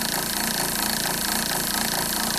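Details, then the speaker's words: RV water pump running after teardown: fast, even buzzing drone with quick pulsing and no load change, no water flowing, not self-priming; owner guesses a motor fault but is unsure, and later installs a new pump. "i'm just gonna just guesstimate there's something wrong with the motor i don't know if that's how it's supposed to sound but all the uh the new ones say they're self priming"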